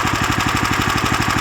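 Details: Lifan LF390QE Pro single-cylinder engine, newly fitted as a direct replacement on a flail mower, idling outdoors on a cold day on a booster pack: quick, even thumping with no misses or stray knocks; healthy normal idle.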